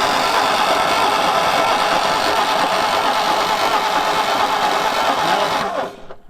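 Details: 1960 Ford F100 panel truck, sitting about 40 years, after a bad coil connection was fixed: even starter churning at about three pulses a second that never catches. It cranks fine, but the points give no spark, likely poor points contact.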